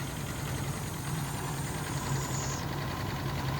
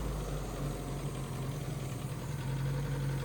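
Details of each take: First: Mercury Capri Turbo RS turbo four-cylinder, first run after 23 years: a low, slightly uneven idle with a faint airy hiss from an open vacuum port, running super lean from vacuum leaks. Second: Mercury Capri Turbo RS turbo four-cylinder, first run in 23 years: smooth, even, low-pitched idle with a steady beat, no knocks or misses; vacuum leaks audible, earlier smoke cleared, motor mount failing; healthy idle.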